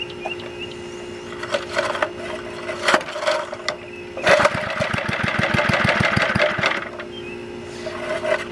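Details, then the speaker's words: Goodall-Modern antique edger, 3 hp Briggs & Stratton single-cylinder, last run mid-1990s (sat 20+ years), first start: coughs and catches in a short uneven burst of about eight pops a second, then sputters down; rough running, carburetor cleaning suspected needed. "definitely probably have to clean out the carburetor he's been sitting for over - uh off the over 20 years"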